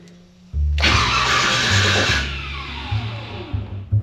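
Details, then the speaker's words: C10 longbed V8 after upgrade from generic mini torque starter to PowerMaster 9400 2.5 kW starter, fixing heat-soak no-start: short crisp crank, catches right away into lumpy idle with blips; flex plate teeth intact, healthy starter. "inspecting afterwards we still have all the teeth on the flex plate good signs it looked like it was coming in and out on the Bendix like it should I'm going to call that a success"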